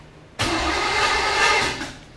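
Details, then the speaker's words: Chevy 5.7 SBC in a 1980 2nd-gen Camaro, first start, after another distributor timing adjustment: a brief burst of starter cranking of about 1.5 seconds, and the engine never fires. "huh now it's not working like I wanted all right more adjustment to the um distributor try again"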